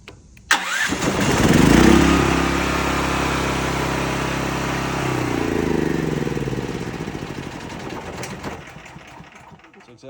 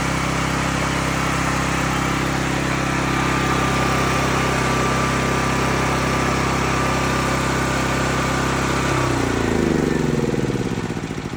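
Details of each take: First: Cat RP8000E generator, about 5 years old, fresh non-ethanol gas, CO sensor bypass switch set on (circuit completed); engine catches, runs slightly uneven about seven seconds, then winds down and dies from the CO sensor cutoff. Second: Cat RP8000E generator, about 5 years old, running with the faulty CO sensor bypassed; steady even drone about nine seconds, then winds down smoothly when the bypass switch is turned back off to shut it off.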